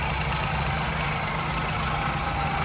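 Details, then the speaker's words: Ford Ka 1.0 three-cylinder that arrived with oil warning light on and loud engine noise, repaired without replacing the engine; smooth even idle, no knocking or ticking, oil light off; normal idle after repair. "eu vou ligar para vocês verem sem luz de óleo as luzes estão acesa ali um é da porta e outra da reserva de combustível e acabou o barulho no motor aí ó motor redondinho bonitinho"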